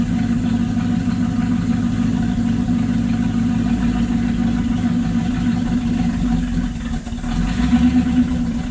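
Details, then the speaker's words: LaSalle engine, phone facing the exhaust, throttle held constant at about 1/4: lumpy uneven running with speed dipping and surging; owner suspects anti-percolator rods causing fuel starvation, unconfirmed. "So again, I think it's the same thing, that those percolator rods are trying to c"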